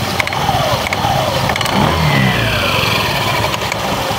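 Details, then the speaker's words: Honda Beat FI eSP scooter with light scattered clicking/rattling from the CVT, not very severe, when the throttle is opened slightly at low RPM then released; worn or loose large rollers are suspected to rattle more loudly. "kedengarannya teman-temanmu klepek-klepek klepek-klepek tapi kecil gitu ya klepek-klepek pada saat gas ditarik letak-letak seperti itu suaranya teman-teman"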